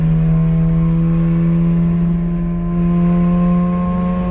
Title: 2011 Honda Accord coupe -K24Z3 *Exhaust Leak* 3rd gear pull